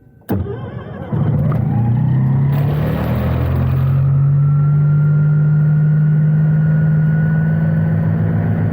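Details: Start of an ASH-31 motor glider engine on the ground, heard in the cockpit, after fuel valve open, prop extended, ignition on and ECU ready: catches after a short crank and settles into a steady, even drone; a clean start.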